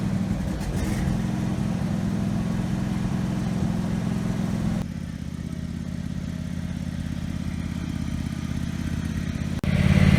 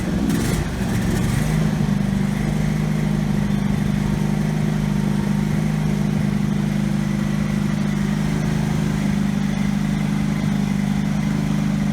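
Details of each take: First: Husqvarna lawn tractor single-cylinder engine after governor arm repair (it previously raced out of control), run outside: steady drone held without hunting or surging; governor holding revs properly. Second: Husqvarna riding tractor engine that had been racing, started after securing the loose governor shaft to the governor arm: steady low idle-like speed with no surging, never picking up; engine speed now controlled but throttle unresponsive.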